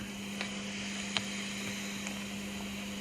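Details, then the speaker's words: Homemade signal tracer probe on a radio in trace mode: steady low test tone with sharp random crackles and pops on it. "There's our tone again, and you can still hear we've got the crackle on the tone down there."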